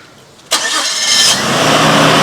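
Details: Nissan Skyline R34 first start after sitting 5 years, following a fuel pump replacement with batteries solar-charged: a sharp catch, then the engine fires and settles into a steady, smooth idle within a second with no knocking or ticking; a normal start.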